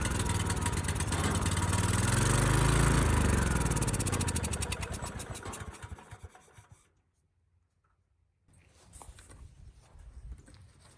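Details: Ridgid generator's Yamaha MZ360 engine, about 10 years old, idle 4 years, after carburetor cleaning. It catches on starting fluid, races high and uneven for several seconds, then dies. Throttle sticking; owner suspects it is also running slightly lean.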